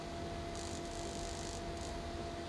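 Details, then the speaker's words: Insulation test of 3mm Corflute plastic at rising high voltage (about 120 setting, several thousand volts, no arcing or breakdown): steady electrical hum with faint airy hiss coming and going: corona discharge hiss. "let's see i'm starting to hear some corona now that's at 120 so if we go to 128 that's a nice multiple of 16."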